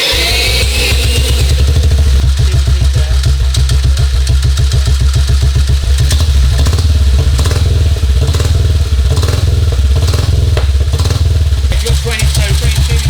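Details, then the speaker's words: 1952 BSA M21 single after ignition timing was moved closer to top dead centre: thumping picks up and drops back cleanly with only the odd pop on the overrun. Best it has run, not getting hot, backfiring far less. "That's the best that's run. And that's not getting hot either."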